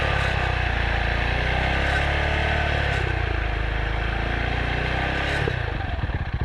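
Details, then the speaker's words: Single-cylinder adventure bike riding on the road: light metallic rattle over the thump at certain revs, source unseen, something suspected loose inside; cause unconfirmed. "Mitch can hear a rattle. I don't know if you'll pick it up on this camera. Something is rattling at a certain revs that Mitch gets to, and it just sounds like to me like something's in there."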